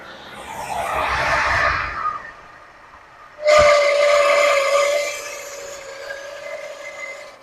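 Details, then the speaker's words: 1979 Lincoln Continental abandoned 32 years, first revival running: sharp steady squeal over idle settling lower in pitch; belt squeal, owner suspects the smog pump belt rather than the alternator and may cut it. "Is that the alternator or the smog pump doing that? I think it's the smog pump. It may go away."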